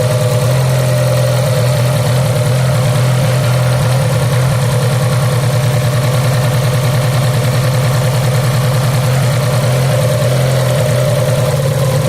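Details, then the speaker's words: Fiat Punto 4-cylinder petrol engine idling unevenly with an irregular low stumble after shaking at speed on a fast road; one cylinder misfiring, traced by pulling high-voltage leads one by one; suspected faulty ignition lead. "from the engine, so I think that there is a problem with the one cylinder."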